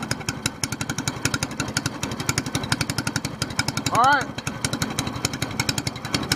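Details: SPS Longtail mud motor, freshly built, running just after its first oil change following a 3-hour break-in, with 10w-30 Royal Purple synthetic plus BestLine. Quick, steady single-cylinder popping at an even rate with no knock or misfire; it runs smoothly.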